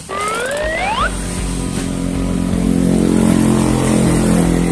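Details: Motorcycle whose seized engine would not kick over, freed without teardown by filling engine oil and turning the crankshaft through the magneto cover so oil lubricates the parts. Brief whooshing, then a steady, even engine drone with no knocking; runs normally again.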